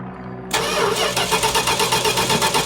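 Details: 1969 Plymouth Road Runner parked for decades: steady cranking chug about six beats a second, never catches; after disconnecting battery and orange ignition box plug as a reset test, crank no-start. Connector cleaning had earlier made it fire; cause suspected, not confirmed.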